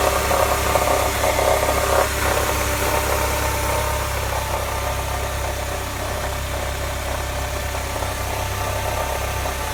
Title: MB CLK 200 Strange noise cold start